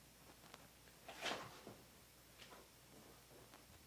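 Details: Interior door after hinge pins were removed, lubricated and reinstalled to cure a creak: door swings with only soft wooden knocks and a light latch tap, no creak or squeal; hinge now quiet.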